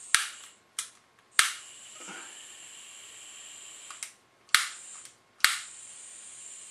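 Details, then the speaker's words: Bernzomatic butane soldering iron: several sharp igniter snaps, each with a brief hiss, before flame holds; takes a few tries to light. "there we go takes a few tries"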